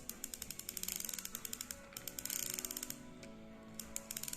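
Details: Used Japanese Ryobi Alert SS-500 (BB-95) round baitcasting reel with a body that is likely carbon: quick, crisp ticks in even bursts as the handle turns forward, no grinding. Healthy reel clicker.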